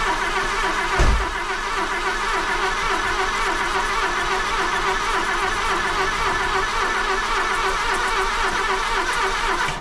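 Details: Golf II carburetted petrol engine after a full carburettor rebuild, with a little petrol added for the first start attempt: steady starter whirr with an even churning beat for ten seconds; engine cranking but not yet firing.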